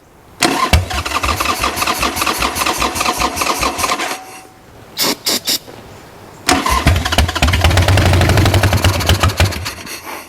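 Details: Wrecked 1996 Harley-Davidson Sportster 1200, parked several years: rapid uneven cranking for several seconds, a short stab, more cranking with occasional catches never settling; fuel reaching carburetor yet won't start, owner may pull the carb.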